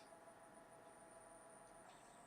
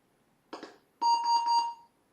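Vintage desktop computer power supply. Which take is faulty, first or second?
first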